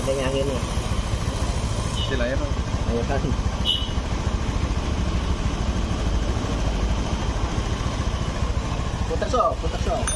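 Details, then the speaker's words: 2017-2018 Honda Scoopy after repair for a rough, noisy engine: soft, even idle with a steady low beat and no ticking or chain slap; engine now sounds quiet and healthy. "kita dengarkan bareng-bareng Apakah suaranya hilang ya [Musik] nah lembut"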